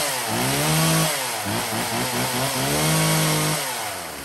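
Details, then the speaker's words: Used Husqvarna 36 chainsaw test run: runs clean and strong, revving up and settling back twice, picking up crisply with no misfire; healthy. "Móc thì nó rộn nổ ngon lành rồi các bác nhá."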